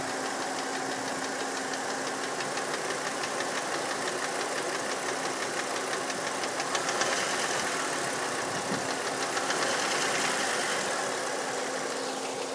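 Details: 1999 VW Passat VR5 Synchro, AGZ 2.3 L 150 PS: light, sharp ticking about three times a second over a steady idle. An engine tick, cause not pinned down.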